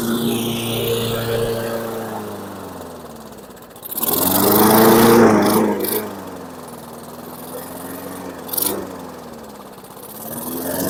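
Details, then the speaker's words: 2008 Weedeater 22-inch 500 series mower, engine model 10T502, customer-reported non-start; started on carb cleaner, it catches on a blip, then speed surges and sags instead of settling. Something is binding: sticking throttle linkage, recoil to be removed and oiled. "I just want to look something's not right something's binding"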